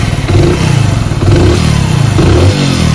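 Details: Hero Splendor Plus after fix for tik-tik ticking noise: single-cylinder steady idle with a brief blip, no sharp ticking over the exhaust beat; sounds smooth and healthy.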